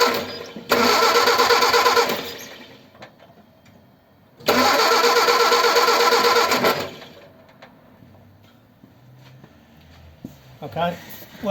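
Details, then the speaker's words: Ford 100E cold start after adjusting tight charging-regulator contact gaps; two short cranking bursts catch briefly then fall away; spark present; stalls, cause unknown. "it stopped running it won't run there so I don't know what's the matter"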